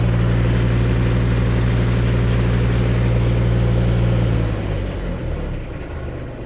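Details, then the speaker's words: Brush/pumper fire truck engine idling up under pump load, tank-to-pump valve open and recirculating water: steady deep drone with even low hum, smooth and regular before easing down; normal pump idle. "We'll just recirculate some water here, so we're not going to make anything wet. You can hear the pump idle"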